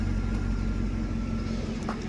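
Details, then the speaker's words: Federal Tahoe V8, being readied for emissions, after the exhaust leak was fixed: big V8 settles back to a steady, even idle after a few revs, no ticking or puffing from the manifold; leak gone, sounds healthy. "All right, let's hear the engine. Oh yeah, way better. You can not even hear that leak anymore."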